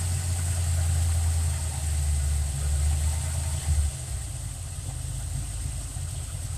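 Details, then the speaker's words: Fox Body V8 idle raised by hand into part-throttle mode: a deep idle held high for four seconds, then dropping to a lower, rougher idle. The owner suspects the idle air valve is held open. "fight idle it up just a little bit by hand see how I guess the part throttle mode idle kicks way up"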